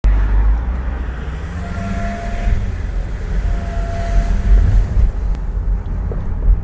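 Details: Volvo XC90 2.4 D5 diesel accelerating; faint rising whine over heavy road rumble, only when accelerating, started today, with hesitation on acceleration and a strong diesel smell inside; cause unknown.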